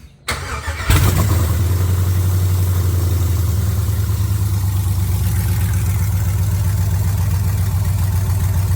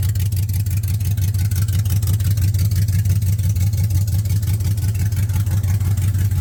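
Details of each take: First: 1979 Camaro with LS swap, started after reseating the transmission harness plug that had caused codes; brief crank, catches at once, settles into smooth, even idle with steady low rumble; normal start and idle. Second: 1979 Camaro with LS swap: loud, deep V8 note with an uneven, lumpy pulse about three times a second; rough running with the exhaust open, no pipe fitted.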